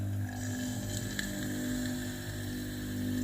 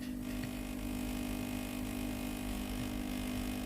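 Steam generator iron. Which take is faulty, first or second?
second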